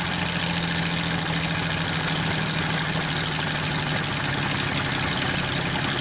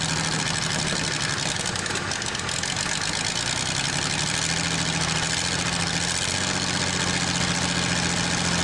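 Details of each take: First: Probably 1947 Worthington tractor with a Chrysler 218 flathead six, just started after decades, now running on all six: a steady idle with a busy metallic clatter over the rumble from a bad, rattling water pump. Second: Probably 1947 Worthington tractor with a Chrysler industrial 218 flathead six, first start in decades with extra oil in the cylinders: a steady idle with an even beat and a faint hum, no misses, clearing up and picking up; running normally.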